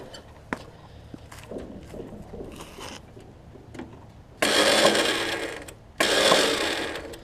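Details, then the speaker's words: Craftsman riding mower, restart after carb adjustment; two loud harsh grinding bursts as the starter engages on a flywheel ring gear missing teeth, likely from a previous engagement, starter itself in good shape; starter grinding on damaged flywheel ring gear. "this thing's missing some teeth on the flywheel it looks like it was from a previous engagement because the starter the starter looks good"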